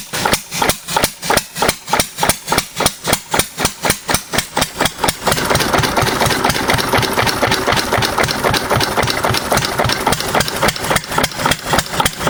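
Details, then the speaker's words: 6 HP Witte diesel-electric single-cylinder engine, about 80 years old, hand-cranked, running again after ~30 years following valve work, oil change and fuel cleaning: heavy slow thumps speed up and change rhythm before evening out; governor hunting after start. "Governor kind of hunts for a couple seconds until she uh gets in for a good rhythm. Starts pretty easy though for being 80 or so years old."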